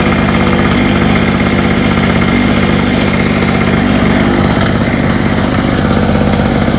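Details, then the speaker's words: Hurricane 850W 240V two-stroke generator after refuelling with a lower-oil mix and tightening the loose spark plug: steady even buzz at constant speed with no misses, surging or knocks, running smoother and healthy. "It's even running better. It's running smoother."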